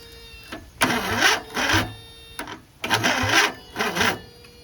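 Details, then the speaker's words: Racing lawn mower with newly swapped 20 HP OHV V-twin, fresh gas poured in carb: two slow laboring cranking bursts without catching; battery running dead. "Unfortunately, our battery's running out. Yeah. Yeah, our battery's dead, so that's a bummer."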